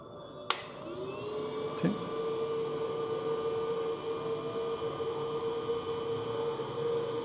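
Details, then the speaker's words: Belttt 1500 W 12 Vdc to 120 Vac inverter just switched on, fed by a 12.8 V battery: a click, then the small cooling fan spins up to a steady even whir; fan running normally. "si pueden escuchar el sonido del ventilador, se escucha el ruido del fan."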